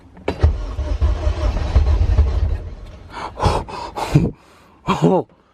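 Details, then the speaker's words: Budget K-swap Honda CRX with K20A2 engine, first start attempt; fuel pump running but only about 10 psi fuel pressure, check-engine light solid, main relay clicking off. Low uneven starter churning for a couple of seconds, close to catching but never fires. "oh it sounds like he wants to go what what's going on here"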